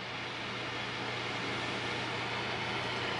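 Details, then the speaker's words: Both GTX 970 graphics card fans spinning again after being stuck, temperature dropping from over 90°C to 53–54°C: smooth, even airy whoosh with a faint low hum, no ticking or scraping; running normally. "now they slowed down but it's both spinning so what's the temperature 54 degrees now 53."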